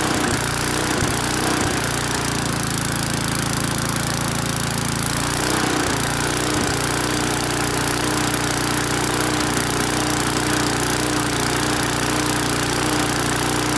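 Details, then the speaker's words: Briggs & Stratton-powered mower, on first start after fresh petrol: small single-cylinder engine runs fast with uneven hunting surge; runs mostly well, surging suggests lean condition, possibly aged carburettor or air filter (suspected, not confirmed). "all right so the most part runs pretty good on that first start there there's a bit of engine surging in indicating maybe a lean condition"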